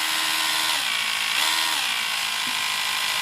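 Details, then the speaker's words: Electric Screwdriver 800 from eBay, speed swept from minimum to maximum on its power supply: high motor whine climbs smoothly in pitch, rising fast near the end because the pot is non-linear, then cuts off; healthy motor. "the pot on the power supply isn't isn't exactly linear you can hearing it right near the end it gets very very the voltage increases very quickly"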